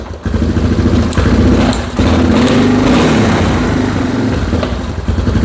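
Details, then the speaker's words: Restored Moto 4 single-cylinder engine, first start since purchase, choke off early and probably on old fuel: an uneven, surging putter that stumbles and recovers about every second; it is running a little lean and the carb needs tuning. "Running a little bit lean though, a little bit lean. So we're gonna have to play around with that. But it runs."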